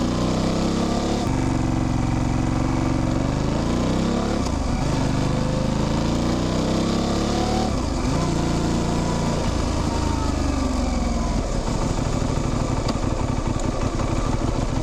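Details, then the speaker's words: Modern motorcycle drivetrain on the road, fuel pump audible at key-on before start; chain chirp rising with road speed, brief clunks at each gear shift, rest is engine, gearbox and clutch; all normal. "Ten świergot narastający wraz z prędkością, to jest właśnie dźwięk łańcucha. Te stuki to moment przełączania biegów, a reszta to po prostu to, co dzieje się w silniku, w skrzyni, w sprzęgle."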